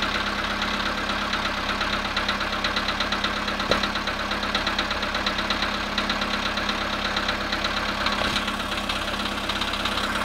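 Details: VW Polo sedan cold start at -2 °C after sitting 22 hours; a rapid, uneven knocking ticks along over the cold idle, a few beats a second, indicating an engine knock on cold start.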